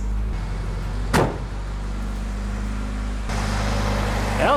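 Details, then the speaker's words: Suzuki Samurai with swapped-in 1.6 16V engine, just after replacing fuel injectors to cure a burbling noise in low range first/second gear and ticking; fires right up to an even, steady idle with no ticking, responsive; normal idle. "fired right up sounds good i don't hear no ticking now [Applause] nice and responsive i think i got her"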